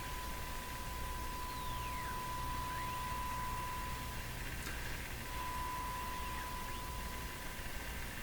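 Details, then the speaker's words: FADA Model 652 Catlin tube radio; signal generator tone near 1 kHz swept around 455–456 kHz IF over heavy hiss, response broad and weak, not tuned properly; IF stage out of alignment, needs realigning. "I think it needs a bit of help seems pretty Broad and and kind of down in this range it doesn't seem like it's tuned up quite properly"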